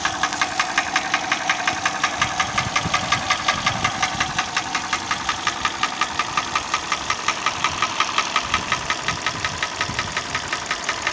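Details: Hyundai ix35 petrol engine: sharp, metallic knock repeating evenly, close to three a second at idle, standing out over the engine hum; a knock of unknown origin.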